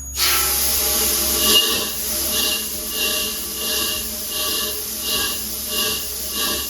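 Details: Chambersburg air power hammer, idle since 1987, run uninstalled on an inadequate air supply; rhythmic surges of air hiss about ninety a minute over a constant blow, cycling evenly for the first time since 1987. Normal air power hammer cycling.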